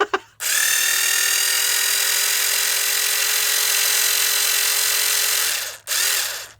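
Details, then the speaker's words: FastTrax Rotostart starter for nitro RC cars after re-soldering repair, battery probably not fully charged: thin high electric whir holding even pitch for several seconds, then cutting out; starter motor running normally. "you hear that? All of a sudden it went quick then. This battery is probably not the best charge though."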